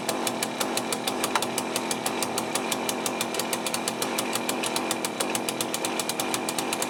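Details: Cheap chainsaw with a Walbro carburettor, just rebuilt with a new gasket kit, first start. Fast, sharp popping about seven times a second with a ragged edge, idling roughly after a hard start; owner suspects the low-speed mixture is too lean.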